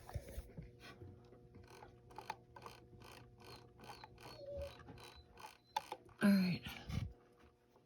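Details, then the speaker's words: Necchi Esperia sewing machine after the frozen feed dog fix (a loose screw was tightened): slow hand-turned wheel with light, sparse ticks and a soft click as the feed dogs drop and rise back up, with no grinding; normal feed dog drop and raise. "Now, listen for the click. I'm going to turn the wheel. There you go. Feed dogs are back up."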